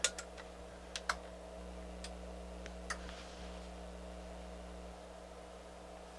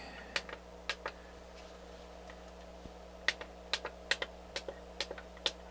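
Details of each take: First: NAD C350 amplifier after all capacitors replaced, power-on test: sharp irregular clicks over a faint mains hum as inputs change, protection relay clicking in and out and indicator going red; fault still present. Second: NAD C350 amplifier after full capacitor replacement, power-on test; sharp dry irregular clicks, about a dozen in six seconds, as the input relays switch cleanly, though a fault later reappears.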